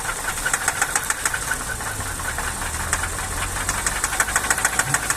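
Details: Nissan Cefiro petrol engine at low idle: a sharp, rapid metallic knock ticks steadily over a low, lumpy idle; cause not stated.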